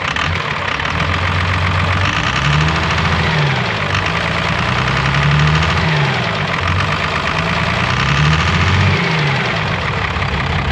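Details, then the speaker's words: Diesel farm truck engine idling after new injectors were fitted, better than before but still misfiring with pinging and heavy uneven knocking over a rough lumpy idle; blue-white smoke at idle, oil blows from the oil cap; owner suspects holed pistons. "अब यह idol पर पहले से भी बेहतर चल रहा है, लेकिन अभी भी इसमें मिसफायरिंग और पिंगिंग और नॉकिंग की आवाज़ आ रही है, और इसमें कुछ गड़बड़ है।"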